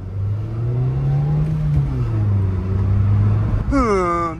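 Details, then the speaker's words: Toyota Yaris 1.3 revving with a muffled, droning engine note but not driving forward under throttle because of a worn, slipping clutch; the clutch pressure plate and disc were replaced. "bir ses geliyor yani tam olarak ittirme kuvvetini yapmıyor gazlıyor ama araba gitmiyor"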